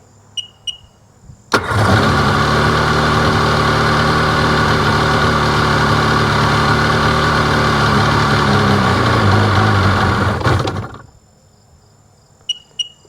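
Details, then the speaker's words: 2005 Sea-Doo 3D 787 RFI: fires sharply, steady buzzy idle about nine seconds, then sags and stalls; MAP sensor reading drops to 3, runs fine with sensor disconnected, cause unknown. "Put this one on, back to 3, and that would create this issue. Watch. Stalls out."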